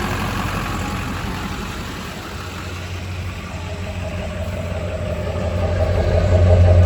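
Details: California diesel truck at 241,000 miles, engine bay: steady even rumble at idle, no knock or miss, no blow-by and no exhaust smoke; normal diesel idle.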